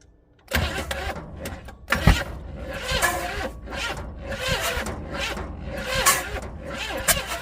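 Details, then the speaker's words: 400 small-block Chevy in rat rod, sat outside 13 years: starter churns in uneven surges with no firing after gas poured down the carb, cranks but won't start; spark present but plugs found fouled and wet. "now let's try a little more gas no she doesn't even seem to be trying"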